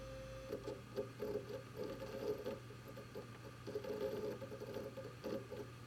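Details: WD Red Pro hard drive in a Synology DS918+ NAS making an abnormal "beeping" sound: short high chirps in repeated clusters over a faint hum, with no clear cause.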